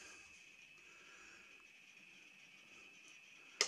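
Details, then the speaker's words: HP 3456A bench digital voltmeter, cover still on: a faint, steady high-pitched buzzing chirp ending with a sharp click, an intermittent fault heard once before; source inside not yet located. "but anyway then I came home and this was making a buzzing chirping sound which is done once before though that went away so I didn't worry about it too much"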